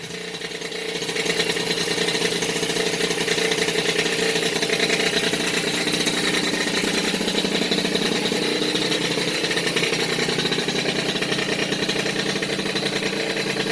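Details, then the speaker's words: Rebuilt Peugeot 103 RCX moped two-stroke, first start after years in pieces, carburetor not yet tuned: crisp fast buzz settles into steady, even run; rebuilt engine running cleanly. "voilà le petit moteur bidalot a enfin pris vie"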